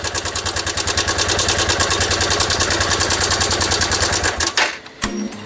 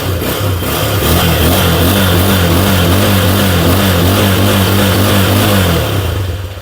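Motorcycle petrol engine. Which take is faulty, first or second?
first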